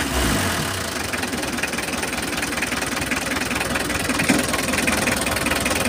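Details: Mitsubishi L300 diesel with an uneven, lumpy idle and irregular knocking at about 2.5 beats per second. Owner reports poor fuel economy and low power even after a fuel filter change. A combustion/ignition-type fault is suspected but the cause is not yet confirmed.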